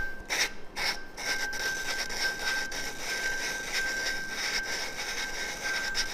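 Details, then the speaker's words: Lapping the valves on a 2007 Suzuki RMZ450 head with a suction cup tool and lapping compound; early stage, gritty back-and-forth rasping as the compound cuts the seat. "going to start off very gritty and then it's going to get less gritty and make sure you pull up on there so often the grit does need to move around the pad"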